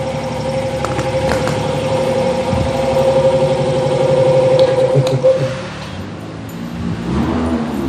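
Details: Proton Wira, starter spins the engine, it catches and settles into an even idle with no grinding or stumbling; healthy start, shown while explaining no-start causes such as faulty starter or wiring.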